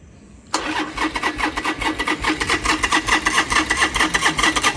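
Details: Motorcycle after the fuel pump was reassembled and refitted: engine catches straight away and settles into a steady, regular idle of about two pulses a second; it starts and runs fine.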